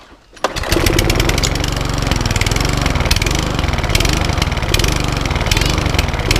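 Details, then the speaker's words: Cheap Sovereign lawn mower with a primer bulb, hunting and surging at idle from bad fuel; small engine fires up and its speed drifts up and down, needing a carburettor clean. "so that's all it's doing to got a hunt to it so we're going to do a carb Redick clean on it"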